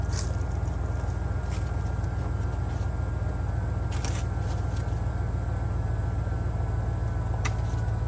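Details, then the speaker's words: 1949 Ford shoebox that sat 50 years, on jumper cables with extra grounds and an HEI distributor, timing rechecked and advanced: slow, laboured cranking with only a few weak catches. It won't start. "as you can hear it's firing it's trying a little bit it's cranking slow still"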